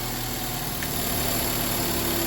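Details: Honda Civic 1.7 VTEC after VTEC solenoid replacement/rebuild, solenoid energizing test for oil leak: steady, even idle, smooth low hum, no misses, knocks or hiss; normal healthy idle, no more leak.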